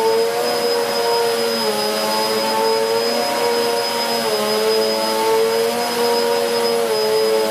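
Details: 2013 Hoover Whirlwind Pet WHS2102 001 2100W bagless upright over carpet, belt refitted: steady loud motor whine with slightly wavering pitch as it moves; even, strong run. Noisy because the brush roll is aggressive; working normally.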